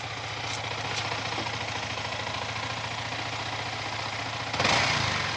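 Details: Yamaha R15 V3 BS6 with about 8000 km, after rocker arm replacement and valve clearance adjustment to cure engine-head noise: even, settled idle with a light mechanical patter and no knocks or tapping; the engine sounds healthy.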